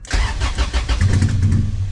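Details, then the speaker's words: Junkyard car with almost no gas, oversized injectors and unknown ECU programming: just after starting it stumbles and surges with ragged, sputtering firing, choppy and lean-sounding; rough running, cause suspected not confirmed. "We don't know what's in the ECU to program those injectors. So, it's really choppy and it sounds really lean and it doesn't help because it has no gas."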